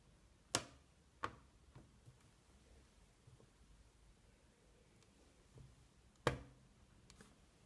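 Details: 2016 MacBook Pro Touch Bar (Radeon 460, bought November 2016): sharp pop like crushing an empty plastic bottle when the lid is opened after hours off. It also pops minutes after startup under CPU stress.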